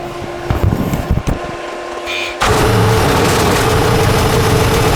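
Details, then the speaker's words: Nissan S15 revival after sitting, dump pipe only and half the intercooler plumbing off: loud, lumpy, uneven idle; not running on all four cylinders, cause unconfirmed. "But yeah, I see what Alex means. It's not running too good."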